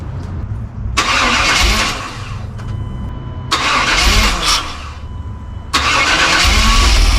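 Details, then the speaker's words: GM throttle-body-injection Suburban after TBI rebuild (GP Sorensen kit), new battery: engine catches, revs rise and sag in uneven waves, nearly stalling; idle surging, owner suspects a vacuum/sensor problem and plans to swap the sensor first; cause unconfirmed. "not up 10 yet well that's not going to work it's rubbing up and down dying H so I've got an idea to fix the EV vacuum problem there"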